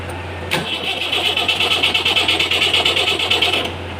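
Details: Perkins diesel genset, hard start: starter turns the engine in even pulses, about three per second, but it never catches; relay in the control box suspected faulty.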